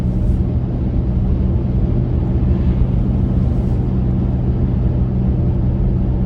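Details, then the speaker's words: Mazda Tribute/Ford Escape with the muffler missing, heard from outside in traffic: deep, steady, loud and boomy exhaust drone at low speed, below the speed limit. "it's that noisy here imagine what it's like in that vehicle be like living inside a freaking angry beehive"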